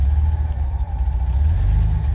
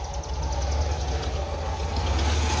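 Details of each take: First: 1989 Ford F-150 300 inline six, 4-speed manual, 4WD, first start after 8–9 years on old fuel pump: low, lumpy tractor-like idle with dropped cylinders, running on about four cylinders, giant cracked manifold; rough misfiring idle. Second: 1989 Ford F-150 300 inline six, 4-speed manual, 4WD, first start after sitting 8–9 years: fires promptly and settles into a steady, even idle with a deep, consistent rumble and no knocks or misses; healthy.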